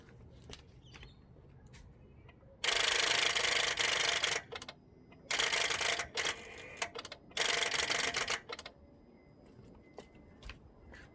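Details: 2007 Honda Accord, old battery from 2016: three bursts of fast, sharp chattering clicks with each key turn, dash lights on, no cranking; dead battery no-start.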